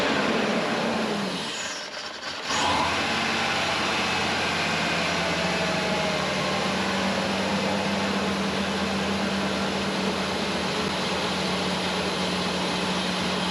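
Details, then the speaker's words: 1996 Ford Ranger 3.0L V6 at idle after plugs reinstalled, timing checked correct, spark and compression present: steady but slightly uneven idle with loose irregular stumble, misfire persists; owner suspects bad injector or timing, unconfirmed. "Alright, so it still has a misfire at idle. I'm pretty sure it's not a spark or a cylinder issue."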